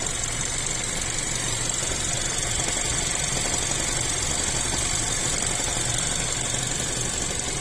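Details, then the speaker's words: Chery Tiggo 7 Pro Max Elite AWD with robotic gearbox: dull uneven knocking about three per second over busy hissy engine run, comes and goes, no fault codes; cause unknown. "Ошибок никаких нет. Может, кто подскажет. То стучит, то не стучит."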